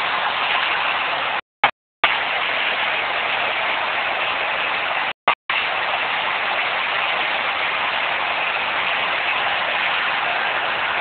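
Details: Nissan RB20DET idling with a steady, rough grinding hiss and no change in speed. The owner believes it comes from an external rotating pulley or accessory, not the engine block; the sound disappeared two hours later.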